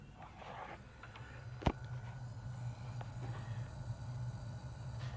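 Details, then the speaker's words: Computer power supply at idle with a quiet, steady low electrical buzz and one sharp click; the noise stops immediately under a CPU stress test and returns when the stress test stops. "you can hear the electric sound and maybe in the video you can't um hear as loud as in the reality"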